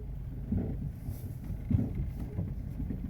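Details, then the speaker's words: Car driven slowly: dull, uneven thumps about once a second under road rumble, and it visibly moves badly. Caused by a loose wheel with missing lug nuts. "¿Lo escuchan? Mira. Se mueve bien feo. ¿Oye el ruido?"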